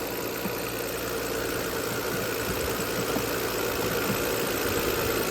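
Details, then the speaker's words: 2003 Audi A6 idling after a jump-started cold start following about six months of sitting; even, steady idle hum with no ticking or misses, no smoke, running smoothly though it needs some work. "this is a great running car and it's not perfect it's going to need some work"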